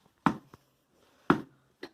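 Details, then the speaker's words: IKEA Markus office chair, about two years old, after lubricating its spring points: dull knocks as the chair rocks back and forth, with no squeak or creak remaining. "I think the squeaking is completely gone let me show you see no matter how hard push this there's no squeak"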